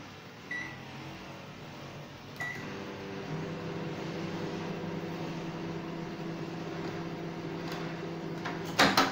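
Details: LG microwave oven being repaired for a no-power fault (display not working): after the start beep, a steady, smooth, mid-pitched drone with no buzzing or arcing. Normal operation.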